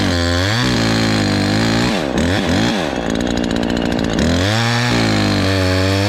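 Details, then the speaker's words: Ported Husqvarna 543XP chainsaw on first cuts after porting: screams at full throttle, then bogs with a burbling, uneven note under load. It is way rich and still four-stroking; the main jet is to be leaned out. "Still four-stroking even though you get under a good load, so we can still lean it a little bit."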